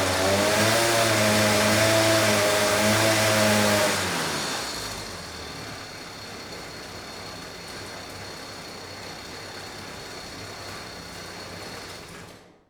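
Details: Vintage Huffy two-stroke bike on a trainer, just started, not warmed up and unloaded: buzzes high and steady, then drops back as the throttle closes, with no knocks or misses; it sounds healthy, though carb jetting may be slightly off.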